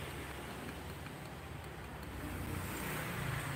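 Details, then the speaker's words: Honda automatic scooter CVT coasting after the throttle is released, with a loose, hollow klok-klok knock about four times a second under the running noise as the drive slows down. "nah ini Jadi sumber suara Bos klok klok klok klok klok klok klok klok"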